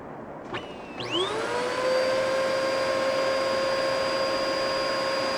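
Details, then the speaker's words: Bissell Powerforce bagless vacuum, first plug-in after being found outside in winter: motor spins up to a steady high whine with no brush bar thrash, brush bar not turning; no suction, all filters clogged. "I wonder if the brush bar is working. Well, brush bar isn't working."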